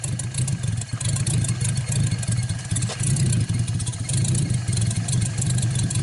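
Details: 1949 Buick straight-eight, first start in years, restarted after cooling down and refuelling: fires and settles into a smooth, even, deep run with steady throttle blips, no misses or knocks; runs really good.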